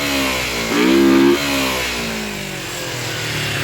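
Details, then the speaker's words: 1986 Kawasaki 250R Ninja/Targa twin, revived with new parts and carburetors: crisp idle rises cleanly into a quick rev and drops back smoothly with no misfire; runs well, still needs minor adjustment. "All right, Skyler's target started. Sounds pretty good. Going to have to do a little adjustments, I think, just to kind of get it right where we want,"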